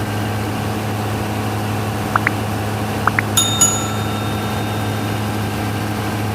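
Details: Denyo DCA610SPM generator, restarted after magnetic pickup (1.3-1.4 ohms) and its wiring tested good: steady, even low drone with no misses, a few light metallic clinks from handling; normal idle.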